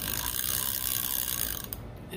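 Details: Repaired Penn spinning reel tested before its CorrosionX spray, with the lock turned off and on: crisp, fast, even ratchet clicking that stops cleanly; the clicker engages properly; normal ratchet clicking.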